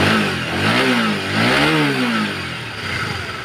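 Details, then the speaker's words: Honda CBR150 after cam chain tensioner work to cure a "klutuk-klutuk" knock: single-cylinder engine revs up and drops back smoothly twice, pitch rising and falling cleanly with no ticking or knocking; sounds healthy. "Nah, ini kondisi sing wis dipasang nih motor ya, langsung kita nyalakan ya. Sambil digas-gas ya."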